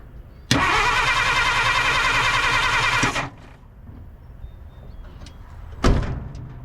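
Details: 1950 Dodge Meadowbrook, positive-ground, sat unused for unknown time, first start attempt: brisk fast starter whir for about 2.5 seconds then silence, turns over but never catches; crank no-start, cause not confirmed.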